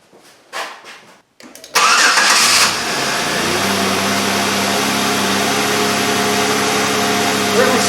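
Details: 2003 Chevrolet Impala 3.4L with P0300 misfire and flashing engine light, restarted after the repair: some clicks, then it cranks, catches quickly and settles into a smooth, even idle with no stumble or miss; misfire fixed.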